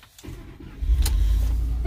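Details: 2004 Lincoln Navigator after breaking down on the interstate, fixed with a new battery: short crank, then catches promptly into a steady idle with a dash chime; starts cleanly and normally.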